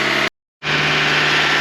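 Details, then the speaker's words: 2020 Toyota Camry 2.5L A25A four-cylinder, hot after a coolant service; steady even fast idle with cooling fan rushing loudly, no ticks or roughness, and coolant flowing freely. "cooling fan is on it's running and we have some nice hot air coming out from it"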